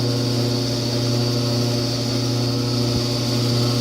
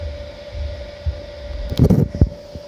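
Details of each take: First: Kenmore-branded Frigidaire electric dryer, top off, heat setting after about ten minutes warm: loud steady hum with a thin high whine, only on heat, quiet on air fluff; sounds bearing-like, worn blower wheel. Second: Kenmore electric dryer made by Frigidaire, reassembled after the repair for loudness on heat cycles, on high heat for four to five minutes: steady low hum, even whir and a couple of light bumps, with no roar or scraping. Normal quiet operation.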